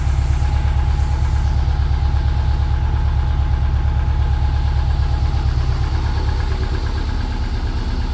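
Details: Subaru 2.5RS rebuilt engine, first run after reinstall, warming up, radiator not yet refitted: steady, even low idle rumble with unbroken rhythm, no ticks or knocks; sounding really good, normal idle.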